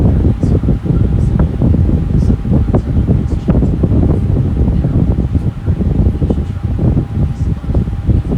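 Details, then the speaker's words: Lasko Air King high velocity floor fan, a discontinued series: steady low airy rush with no ticking, rubbing or wobble, running smooth and even, healthy. "I'm gonna be quiet and let y'all hear it for a little while longer than my fan from running."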